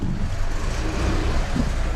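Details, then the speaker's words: Alfa Romeo MiTo pulling away in first gear after clutch and failed dual-mass flywheel replacement; low smooth engine rumble with no judder, rattle or chatter; clutch sounds healthy. "absolutely perfect and there you have it that is one clutch replacement on an Alfa Romeo Mito"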